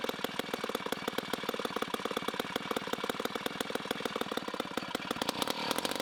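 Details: 1960s Homelite C-51/XL-12 vintage two-stroke chainsaw, revived, started with choke: loud, rapid buzz with slightly uneven, burbly firing at high idle. It is running a little rich and may be low on fuel.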